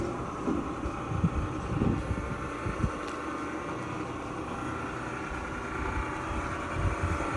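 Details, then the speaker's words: Frigidaire gas dryer, curbside find with a suspected broken belt, reassembled after repair: low, soft rumble of the drum turning evenly with no squeal, thump or scraping; it runs quietly and sounds healthy. "up yeah spinning good quiet dry yeah looks good"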